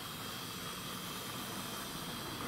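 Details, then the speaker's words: Tri-ang R.357 Brush Type 2 model loco converted to 5-pole high-torque armature (Airfix 1001 parts), running in on test layout: even high-pitched whirr with soft hiss, smooth and steady, getting quieter. "it's a converted brush type 2 with a 5-pole high torque armature and it runs absolutely beautifully"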